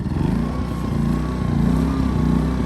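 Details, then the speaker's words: New Westinghouse iGen2500 inverter generator, first start after adding oil and gas, on choke: small single-cylinder running smooth, steady and fairly quiet, no surging or knocking; normal running. "sounds like a four-wheeler pretty quiet wow everything's a lot quieter than i thought"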